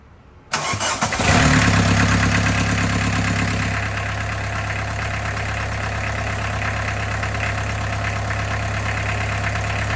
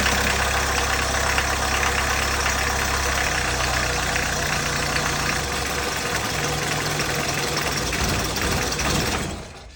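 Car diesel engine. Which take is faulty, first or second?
second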